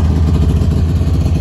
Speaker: So I'll go ahead and I'll fire it up for you guys. Idle's really good.